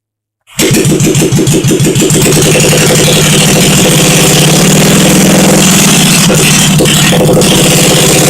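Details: 1971 Honda SL350 single-cylinder, first start after engine rebuild; kick-started on choke with carbs primed, ignition fed straight from battery, no throttle fitted; fires immediately and settles into a steady, even thump with no knocks or misses; normal running.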